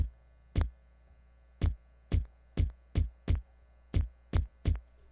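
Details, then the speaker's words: MPC sampler playing drum hits: deep hits, some with a sharp extra pop at or just after the strike; extra pop or click in audio output. "see how it's popping it's popping on this one hear that extra pop so there it is you hit that extra that's definitely not how that sound sounds"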